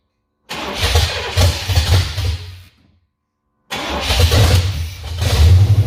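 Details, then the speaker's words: 1988 Silverado with built 350 has a start-no-idle problem: the V8 fires lumpy, dies within two seconds, then lurches back still stumbling and can't idle. Fuel was spraying out; it sounds worse after the latest change. "This sounds like it's running worse now. Still spraying fuel? Are we spraying fuel or what?"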